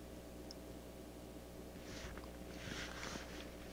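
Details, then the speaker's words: Brentwood DRF 60 garage-sale record player at first power-on, before repair: a loud, steady low hum, with handling noise, while the speaker gives no audio, only a pop at switch on and off. "quite loud listen to that more pretty noisy"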